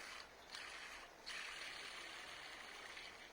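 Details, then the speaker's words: Maktec MT960 4-inch angle grinder with the gear head opened and the bevel gear turned by hand: a dry, gritty ratcheting scrape in uneven bursts. The bearing under the bevel gear is worn and is to be replaced. "นั่นแสดงว่าลูกปืนนะครับที่อยู่ใต้เฟืองนี่ครับจะเริ่มมีปัญหานะครับ"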